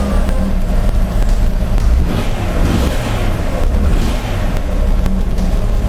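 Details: 2004 Jeep Grand Cherokee 4.0L, freshly rebuilt engine on its first start: a loud, deep, lumpy idle with an uneven low-end exhaust throb, shaking the car. Misfire on several cylinders from closed spark plug gaps.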